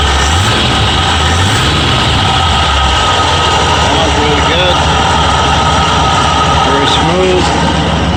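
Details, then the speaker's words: Ford F-100 351W V8 with C4, at idle about 750 rpm just after fitting a new carburetor with a thick gasket: steady, even low rumble, no knocks or ticks; owner notes a slight miss, one side louder, a little smoke he thinks is oil; normal idle. "smooth a little missing in here this side's a little louder see what 750 rpm"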